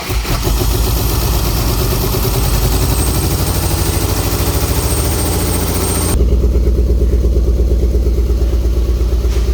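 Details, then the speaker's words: BMW E36 328i: heavy, lumpy idle with an uneven thump about three times a second; running on three cylinders, with two or three injectors suspected stuck, not confirmed. "Bon, elle tourne sur 3 cylindres parce qu'apparemment il y a 2-3 injecteurs qui sont grippés."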